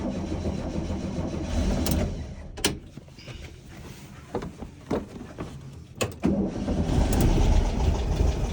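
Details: Baja Bug with poorly running 1776cc air-cooled VW flat-four, ad claimed professionally tuned: cranks and catches, then stumbles with loose irregular clatter and lumpy firing; broken rocker arm, valves way off.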